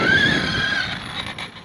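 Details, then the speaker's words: Arrma Outcast 8S RC truck (Crusher Kraton build) with a Castle 800kv MMX8S combo, after breaking axles on a rough dirt run: short wavering whine that sags in pitch as it coasts. The center diff is dying. "uh that's all we're gonna do with that you hear that center diff just dying was not happy at all"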